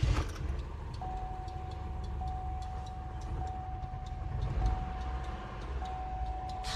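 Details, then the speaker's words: 2003 Oldsmobile Alero, 2.2L Ecotec, at idle before repair after a sudden shimmy and power loss: lumpy, uneven thumps under a warning chime and the whole engine tremors by hand. Code shows a cylinder 1 misfire. "well I don't know if the video shows it but I put my hand on the engine the whole things just kind of shaking tremoring"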